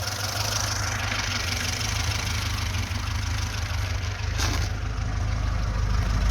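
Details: VAZ-2106 with fully rebuilt engine, no smoke from breather or exhaust: steady, even low idle around 800–900 rpm, smooth unbroken rumble, no misses or knocks; normal idle as it should be.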